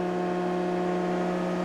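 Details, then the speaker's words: Oliver Model 12 CD 24-inch jointer running: smooth constant hum with steady tone and even cutterhead spin, only a little vibration from the guard. Very quiet; normal running. "Other than a little vibration from the guard, you can hear it is a very quiet machine."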